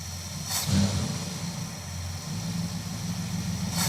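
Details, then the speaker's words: Petrol V8 misfiring again at idle after an oil change (a tick present until oil reached the system, then gone); uneven, loping idle with occasional stumbles that break the rhythm. "She's back to misfiring again. Dang it."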